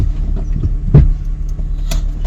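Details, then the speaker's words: PT Cruiser cabriolet petrol engine idling rough with an uneven throb and stumbles, check-engine light on; the code reads P0302, cylinder 2 misfire, cause not yet found (coils, plugs or injectors suspected). "Raté à l'allumage, on va voir ça."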